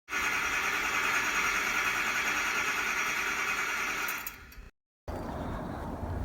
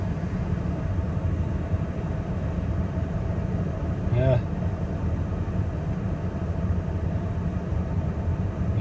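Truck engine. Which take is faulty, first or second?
first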